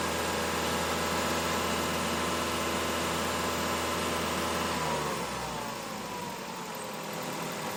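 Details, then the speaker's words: 2011 Mazda 3 held at 2,500 rpm during alternator ripple and load test, then easing back down: steady even drone; charging normal, alternator ruled out, battery suspected by elimination; engine sounds healthy. "Okay, charging normal, so we can pretty much rule out the alternator as the problem. The car seems to be charging normally."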